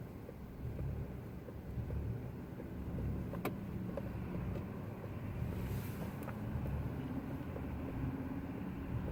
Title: Rough idle 2